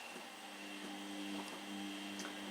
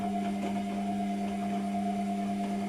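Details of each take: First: Soft steady hum with faint high whine, no rattle or grinding: Hotpoint Smart 8 kg washing machine after replacing its very noisy drain pump; new pump drains much faster and runs much quieter. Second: Constant low electric hum with steady tone and no gurgle of water moving: washing machine drain pump runs but won't drain; repairer suspects the pump isn't priming properly.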